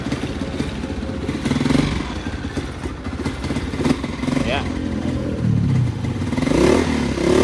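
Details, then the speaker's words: Honda TMX155 single-cylinder motorcycle after CDI socket replacement for cutting out and misfiring when warm: thump through throttle blips, slightly uneven with some carburetor roughness, never cuts out; running normally again. "So umaandar na yung motor ni boss mga katropa."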